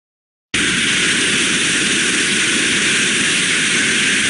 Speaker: so that means that if it's failed in an open position we've got a continuous flow of steam at high pressure which means we would have will expect to hear a large amount of turbulence so when they're not so good it would sound something like this